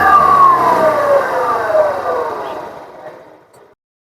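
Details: Yamaha Ray Z scooter: high whine dropping in pitch as it coasts down, heard as a clutch noise. A worn 6202 clutch cover bearing was replaced.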